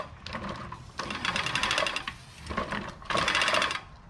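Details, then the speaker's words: Scotts Classic 20-inch reel push mower, blade properly adjusted: light, even rapid clicking as the spinning reel just contacts the cutting bar; correct setting. "and that's the way it should sound when it's tight see the blade is making contact with the cutting bar so it sounds good and it should cut really good"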